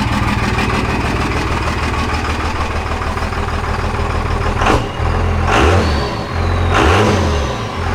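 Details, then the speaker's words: Second-gen 24-valve Cummins diesel; deep steady rumble with a few quick throttle blips above idle, then settles back to an even idle: running fine. "Gave her a little throttle real quick, not much, just enough to get it above idle. Cleared right up, and the truck is idling fine."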